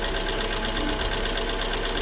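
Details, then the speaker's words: VW Fox with EA111 engine at idle: sharp, fast ticking about eight taps a second, loudest up top; strong knock from hydraulic lifters, oil pressure checked before lifter replacement. "a batida forte vem dos tuchos a gente tem uma batida básica aí de"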